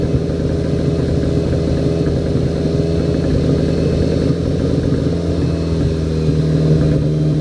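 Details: Car with APR K04 turbo held stationary at part throttle just off idle: lumpy running with uneven stumbles breaking the rhythm; misfire of unknown cause.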